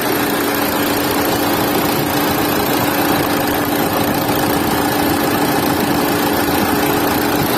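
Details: Renault Duster at idle: steady, loud droning hum, heavier and noisier than it should be; cause unclear.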